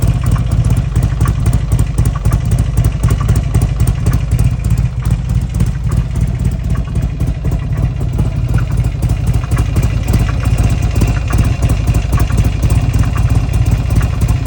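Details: Buell XB12S V-twin at idle: loose, uneven clatter about four times a second over a lumpy idle; weird noise, cause unclear.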